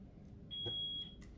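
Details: Smoke alarm indoors in a craft studio during a live craft session gives a single shrill high beep about half a second long over quiet room noise; something is wrong with the alarm, cause unknown.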